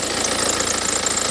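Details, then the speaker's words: Cheap written-off BMW idling: thin, high chirping squeak on top of the engine sound. The water pump was suspected, but spraying WD-40 on the belt stopped it at once, so the serpentine belt seems to be the squeak. "wondering if that is actually coming from the water pump. It kind of does sound like it is."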